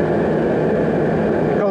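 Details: Riello RDB kerosene oil burner after new Danfoss 0.6 USG/h 60° EH nozzle, with pressure gauge fitted during pump pressure adjustment (around 8 bar): steady even roar of flame and fan without pulsing or cutting out; running normally.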